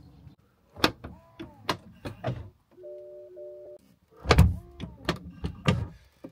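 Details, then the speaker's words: BMW F06 640d Gran Coupe soft-close door: series of sharp clicks and thunks with a brief motor whir as the latch draws the door shut; normal, though owner finds it unnecessarily noisy. "the soft closed doors when you close them over you hear the latch clicking around"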